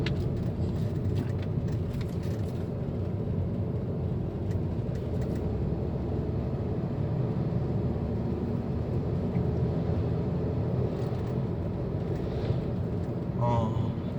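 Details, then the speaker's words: 2008 Volkswagen Passat after hub wheel bearing replacement, test drive above 60 km/h (earlier hum at 60–80 km/h): steady low tyre and road rumble, no speed-rising hum or drone; bearings now quiet. "제대 차는 조용하네 이거 너무 싶었는데 지금 조용하네요"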